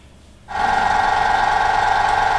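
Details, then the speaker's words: Slush machine: steady mid-pitched hum and whine, possibly a high squeal, from a deteriorating condenser fan motor that runs very hot. "this sound which could also be a high squealing sound is a deteriorating fan motor"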